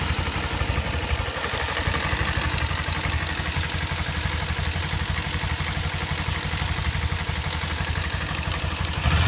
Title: Kawasaki ninja 250cc ticking noise, any idea what's coursing this